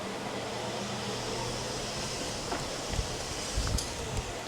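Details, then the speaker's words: Quantum 4Front power wheelchair after repair and left/right sensor calibration: steady low motor hum with even whir at maximum speed, no grinding or stutter; drive working normally. "now we can drive this thing around at any speed we want after making that repair and it works fine we can get all the way up to whatever the maximum speed happens to be and no big deal"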